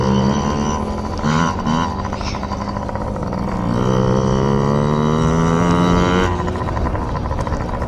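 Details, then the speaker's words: Yamaha PW50 two-stroke warming up after carburetor clean for bogging and dying at wide open throttle: crisp buzz climbing smoothly as throttle opens and settling back, no bog or stumble. "So, safe to say the carb is clean. We're just going to run it dry now. I'm sure the neighbors love this part."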